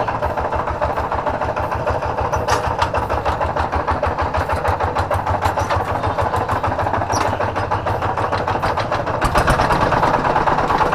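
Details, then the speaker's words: Kubota diesel tractor that starts easily with good power and compression but runs rough: heavy regular thump about twice a second at idle; suspected worn bearing or plate near the flywheel. "Suaranya sangat kasar sekali ya ini dimungkinkan menurut saya ini bisa jadi ini adalah lakernya atau piringnya dimana piring yang dekat dengan roda gila"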